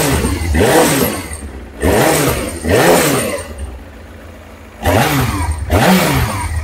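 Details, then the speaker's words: Kawasaki ZX9R after carb clean and spark plugs, on choke: several crisp throttle blips, revs rise and drop cleanly with no coughing or stumbling; previously coughed and spluttered when revved cold, now responsive. "and well that definitely sounds a lot more responsive um before when it was cold if you tried to rev it up it would cough and splutter and really didn't like it but that was good"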